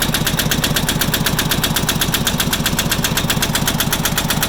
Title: Farmpro 2425 Engine Knock 3